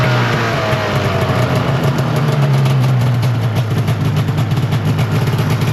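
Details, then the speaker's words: 2005 Arctic Cat Firecat F6 two-stroke snowmobile after sitting, rear jacked up: loud, steady drone holding high without dropping back, track moving quickly. High idle; owner suspects the secondary clutch needs adjusting, not confirmed. "That's moving pretty quick. That's moving pretty quick. So it's idling high right now."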